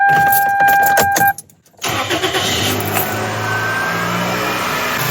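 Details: 1998–2002 Toyota Corolla/Chevy Prizm 1.8L 1ZZ-FE after serpentine belt and tensioner replacement; short crank, catches cleanly into steady even idle with no squeal or chirp; normal start and idle.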